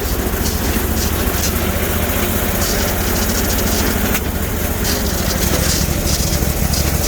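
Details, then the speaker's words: Bolens Hydro Eliminator mower, 20HP Briggs & Stratton V-twin, just got running, choke frozen, main ground suspect: uneven scratchy drone with an occasional sharp pop. Rough running with backfiring; owner suspects it may be running on one cylinder. "I hear a little scratchy noises coming from her. And backfiring."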